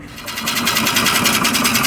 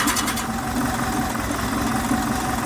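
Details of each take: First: Type 4 VW 2056cc engine with 96mm big bore cylinders, first start after rebuild: rough idle with rapid, regular scraping tick at a steady rate. Something is rubbing; location found, fixed right after. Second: Air-cooled Type 4 VW 2056cc flat-four with 96mm big bore cylinders, fresh rebuild, idling: even, steady idle with smooth low beat, no knocks or misses. Runs really smooth.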